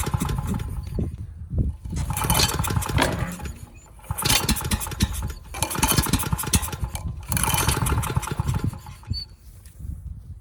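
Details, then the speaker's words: Ridgid 5700 generator, freed-up seized Yamaha MZ300 engine, governor spring turned down: repeated pulls roughly every two seconds, chuffing but never catching; no start from insufficient compression, exhaust valve found with no clearance and carbon buildup. "The engine will not start, not enough compression."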